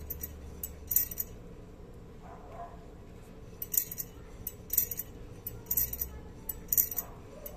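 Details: Drum brake, rear wheel suspected, metallic noise while driving traced to a brake spring catching at the bottom: faint irregular metallic clinks about once a second. Loose drum brake spring rattle; tested again after moving the spring down.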